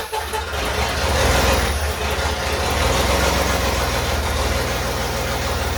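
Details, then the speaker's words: Willys Jeep CJ5 with swapped Chevy 4.3L V6 and hydraulic roller cam, first fire-up with open exhaust and smoke: uneven, lumpy, loping rough running; timing was adjusted slightly by ear, not yet checked with a timing light. "I played with the timing just a little bit there to try to make it run a little better"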